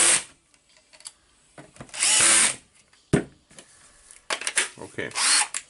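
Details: Makita BHP453 drill test after repairing the gear assembly spring; the clutch had previously kept slipping back. Short bursts of high, even whirring with clean starts and stops, no grinding or slipping; it works normally.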